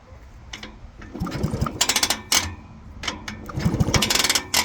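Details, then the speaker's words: Circa-1970 Husqvarna and Penton 125cc enduro bikes, sat about 30 years, kicked over after plugs were pulled and cylinders soaked: rapid chuffing pulses on each kick indicate good compression; one carburetor was clogged. "both of these will be spent over and by the sound of that dude it sounds like they got some pretty good compression"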